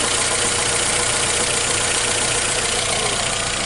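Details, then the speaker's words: Saturn Ion four-cylinder's first start after engine rebuild to fix a fourth-cylinder misfire caused by a burnt head valve: smooth, even idle with no skip, though a check engine light is on. "first time guys start up another start it's pretty smooth"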